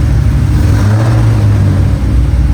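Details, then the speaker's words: Cadillac CTS-V drift car V8 heard from inside the cabin after its badly built exhaust was repaired and welded: deep, even rumble, far quieter in the cabin than before, though a leak or two reportedly remains. Normal exhaust note. "It's fucking quiet. Oh wow, it's so much quieter in here. That's so quiet."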